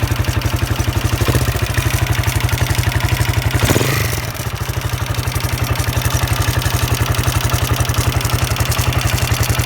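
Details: Husqvarna SM 610 with Keihin FCR 41 carburetor at idle: single-cylinder steady beat with a light, loose clatter on every firing pulse; owner finds the engine noise odd, source unknown.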